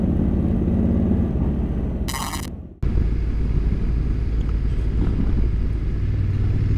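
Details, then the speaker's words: DJI Action 3 camera developing a fault during a bike ride: a brief, sharp, buzzy chirp over the ride noise, then a moment of dropout. It happened only twice and went away quickly; a faulty camera module, not the bike. "you can hear that chirping. Only happened twice and it went away as quick as it came."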